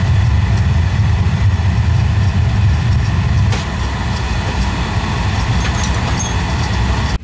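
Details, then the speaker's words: Oil burner after service (new nozzle and jet tube, good oil flow, recently upgraded tank). It lights to a steady, even roar that eases slightly, with no pulsing, rumble or sputter; firing cleanly. "all right let's see if we can fire this thing up how it fires turn on a fire it up nicely there yeah"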